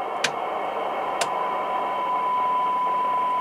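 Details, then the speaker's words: ICOM IC-7100 with no VHF receive, signal generator at -12 dBm: steady hiss with a faint tone creeping in after two seconds, barely above static and not reaching S1; VHF receiver nearly deaf, cause suspected, not confirmed. "So now we can hear the tone. Yeah. And let me put it down a little bit. And uh you see with minus12 dBm which is really a big uh amplitude uh we do not already uh see S1. So that definitely means that uh something is wrong with uh WHF."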